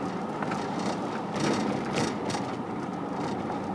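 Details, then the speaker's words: Engine at idle: a steady hissing, sucking rush over a soft idle with no clear knock, some air-drawing noise heard in the motor; the source is not pinned down and the cause is unconfirmed. "Heard sucking in the motor."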